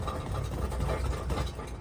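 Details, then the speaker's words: Mazda MX-5 Miata with a cheap aftermarket exhaust idling with a low rumble and a loose, uneven rattle; something is suspected stuck inside the exhaust and blocking it. "hear that rattle kick it uh yeah something seems to have got stuck in there and it's blocked"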